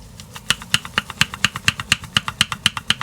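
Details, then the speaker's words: Vauxhall Vivaro / Renault Trafic: removed driver's-side pattern tie rod end, only a year old, rocked by hand. Sharp dry clicks about twice a second from the worn, loose ball joint, which had developed a clunk and failed. Both sides are being replaced. "that did actually develop a clunking um it was actually it did actually fail"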